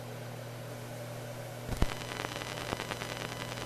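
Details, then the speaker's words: Windows 2000 PC with analog SoundMax onboard audio; output carries a constant hiss and low hum with scattered crackles and clicks, blamed on the onboard audio. "Hear how noisy the output of it is. Ah yes, you can hear the noisy output. That's because that thing uses an analog SoundMax audio solution, or as I like to call it, an analog SoundBuck audio solution."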